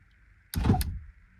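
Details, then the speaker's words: 1999-2004 Mustang door window: a dull clunk from inside the door when the switch is pressed, then no motor hum or glass movement; fuses not blown, child lock ruled out; motor suspected failed, before replacement with new motor. "it's a button click this is trying to move but it's not moving"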